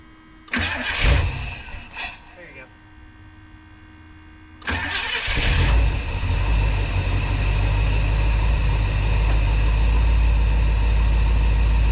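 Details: Squarebody dually after an HEI distributor rebuild, with plug wires moved ahead one position and timing unchecked. Previously wouldn't start; now a few clunks, then it catches and settles into a steady, even low idle. Normal start.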